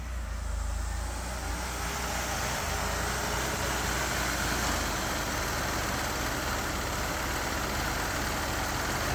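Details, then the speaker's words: 2006 Ford Escape 3.0 V6 at idle right after replacing both valve cover gaskets: faint constant hiss over the engine note from a vacuum line left disconnected under the intake. "that sounds like a vacuum link figure that out all right found it"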